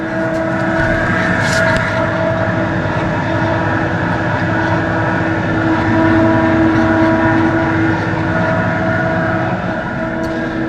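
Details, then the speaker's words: Bar beer chiller pump running: a steady high-pitched whine over a constant pump hum, unchanged throughout. The cause was still being investigated and not yet confirmed. "so got a bit of an issue in the bar sort of the pump um let's have a listen to see what it is Echo bar on okay can you hear that whine I bet you can hardly hear me the chiller"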